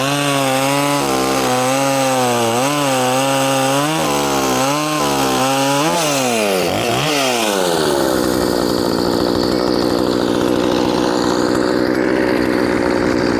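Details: Poulan 2500 Farmhand (2900 equivalent), converted from 3/8 low profile to .325 chain, started on choke after a couple hours, cutting: crisp clean revving blips, then a strong steady note through the cut without bogging. Normal running under load.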